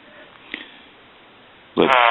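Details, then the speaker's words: Hand-painted wooden duck novelty telephone after repair, ringer switched from high to low setting; near silence then a sudden buzzy nasal quack tone held steadily, quieter than high; quacker sounds off cleanly. "so we're going to ring this telephone one more time and I'll let you hear the quack sound that it puts out it produces"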